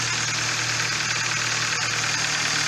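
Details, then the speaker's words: Hyundai i30 1.6 16v, 140,000 km, after a faulty timing chain tensioner caused a jumped chain and was fixed: steady even idle, low hum with fine regular ticking, no stumble or rattle; runs very nicely. "ma teraz chodzi bardzo ładnie czy po prostu wymieniamy całość"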